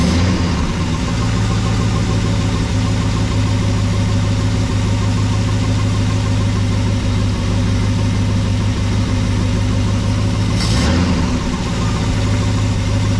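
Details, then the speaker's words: 1974 Ford F100 4x4 with 390FE big-block V8 after carburetor idle mixture screw adjustment, idle about 750–780 rpm, around 50 psi oil pressure, some blue smoke. Low, steady, even idle with no misses; sounds a lot better. "there we go that's about right okay sounds a lot better"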